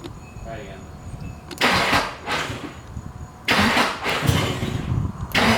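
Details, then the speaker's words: Nissan SR20 newly swapped into a 240SX, first start-up on possibly old original fuel: the engine catches in uneven surges with rough gaps, wobbling as it runs. A misfire is suspected, possibly from bad gas; cause not confirmed. "she runs and sounds like I miss fires yeah definitely misfires it could be a number of things could be bad gas"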